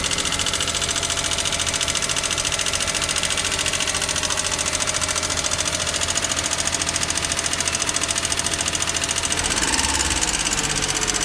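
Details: Daihatsu Hijet S320V engine at idle: light, rapid, steady ticking over the idle, sounding like top-end tapping. Valve lash adjustment was done later. Engine ticking.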